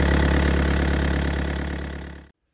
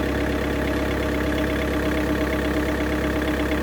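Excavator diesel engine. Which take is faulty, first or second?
second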